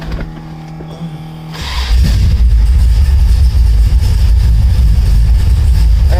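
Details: 1972 Cutlass V8 after conversion to an electric fuel pump, fresh 93 fuel, fuel pressure a little under 7: cranks briefly and fires straight away without pedal help, settling into a strong, steady, even rumble; healthy start.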